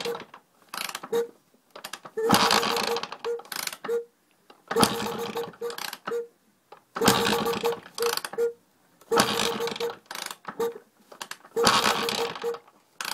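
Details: Sherco 290 motorcycle: repeating bursts of ratchety, gear-like mechanical clicking about every two seconds, something catching; cause not yet pinned down.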